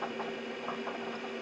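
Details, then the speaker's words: IBM 5170 AT computer booting MS-DOS: rough whirring drone with a steady low hum and scratchy chatter as the hard drive spins up very slowly; noisy hard drive spin-up, cause unclear. "okay so there is a hard drive in here and it is very slowly"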